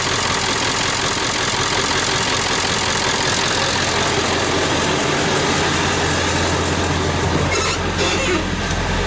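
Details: Ford 7.3 Power Stroke diesel, bought at auction as a non-runner and given a new clutch, just started after shimming worn injectors and not yet warmed up: loud clattery idle with an uneven, loping beat. Owner suspects one injector still isn't firing properly.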